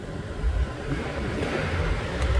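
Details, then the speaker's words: 2006 Hummer H2 6.0 V8, auction repo, at warm idle; deep even burble with no ticking or puffing at the manifold; earlier exhaust leak went away; healthy 6-liter. "That exhaust leak went away. That's a healthy 6-liter right there, folks. That's a good old motor."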